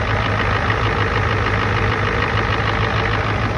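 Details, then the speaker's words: 1992 Ford F250 IDI diesel, started after low batteries: even diesel clatter at a steady idle with a faint turbo whistle over it, running smoothly. Normal idle, though unclear if running better. "Finally got the old girl started. I don't know if it's running better, but it is running."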